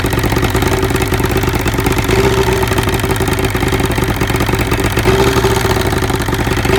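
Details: 1975 Evinrude 70HP two-stroke outboard, miss found on shakedown cruise: steady idle with uneven, stumbling beat and dropped pulses; spark arcing down the cylinder #1 plug porcelain.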